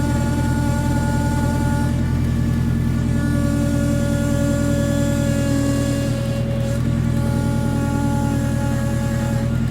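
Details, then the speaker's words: Honda K24-swapped car with TSX power steering pump on 6 AN lines: loud constant whine over the engine, pitch stepping as the wheel turns; owner unsure if a bad line, suspects larger 8 AN lines would help; power steering pump whine. "One finger, but it is making a shit ton of noise. One finger. Oh! Well, EPS ain't sounding like such a bad idea anymore."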